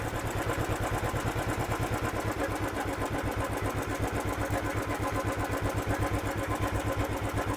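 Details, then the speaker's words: Royal Enfield Thunderbird 500cc single-cylinder idling just after start at over 1500 rpm: even, quick, steady thumping; idle set too high, to be lowered by turning the Allen-key idle screw while holding its nut with nose pliers. "So இப்போ start பண்ணாலே தெரியுதுங்களா, இது 1500க்கு மேலே இருக்குது. ஓகேவா. So இவ்வளோ ஒரு அதிகமான ஆர்பிஎம் வந்து ஐடில் ஆகிட்டு இருக்குது."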